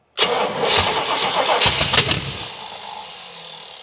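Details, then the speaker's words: 1979 Pontiac Trans Am cranking on a first start attempt: loud, irregular pops and bangs with flames through the intake and exhaust, no catch. Base ignition timing needs setting. "Yeah, she definitely going to need the base timing set. You can see that flame action coming out."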